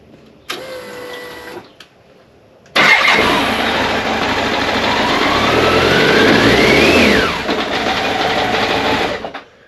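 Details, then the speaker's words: 1998 BMW K1100LT, about 83,000 miles, cold engine, after unplugging and replugging temperature sensor: catches, slightly lumpy cold idle, then revs cleanly and drops back; runs fine, temperature sensor issue suspected. "and that seems to work fine again it's a bit lumpy because the engine is cold but I can rev it"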